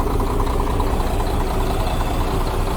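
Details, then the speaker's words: Diesel idle goes even and soft once the cylinder one injector line is loosened by about one and a half turns, removing the knock; the knock comes from the cylinder one injector or pump section. "вот стука нет чай знать тнвд или форсунка или что первый цилиндр получается"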